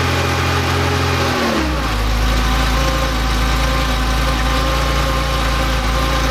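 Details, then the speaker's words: Rebuilt Porsche engine with CIS fuel injection, cold start after sitting overnight, air filter on: cranks, catches cleanly and settles into a steady even idle with no misses or hunting; healthy cold start. "so we've let our engine sit overnight and the last thing i want to do is check my cold start in the morning my heart start was good"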